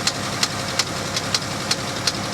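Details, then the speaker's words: Pontiac G8 GT at salvage auction, listed non-runner, started in snow; sharp even light metallic tick about 160 per minute over idle, judged an upper-end tap, not a bottom-end knock. Engine ticking at idle. "i hear a that's not a knock is it that's an upper end tap"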